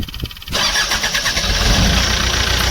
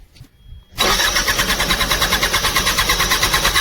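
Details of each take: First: Bobcat diesel engine after a no-start, fixed by replacing a blown fuel pump fuse (fourth fuse; pump motor itself worked, fuse likely blew from high load): the starter whirs briefly, the engine catches at once and settles into a steady, even idle. Normal start and idle. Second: Bobcat crank no-start: starter cranks steadily at about three beats a second for five seconds and never catches; fuel pump not running, motor itself works, fuse likely blown from heavy load, replaced fuse fixed it.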